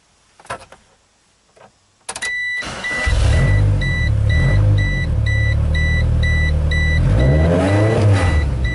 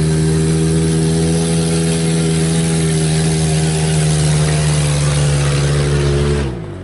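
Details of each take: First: 1996 GEO Tracker after the fix, back pressure gauge showing no catalytic converter back pressure: steady low idle rumble holds without dipping or stalling, chime beeping in background; stalls much less than before the repair. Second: 1996 GEO Tracker with low power, driven with the O2 sensor removed: loud, steady, rough drone with a raw raspy edge from exhaust escaping the open sensor port; maybe slightly more power, maybe just noise; catalytic converter apparently not the cause, fuel suspected.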